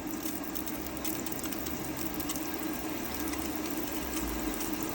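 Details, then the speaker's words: 2006 Adria Twin camper van, tap set to hot with water pump on: steady, even water rush with the pump humming, no coughing or sputtering of air, good pressure; boiler is full. "So, it's not coughing. It's not spluttering. It's not going all over the place. Got good pressure."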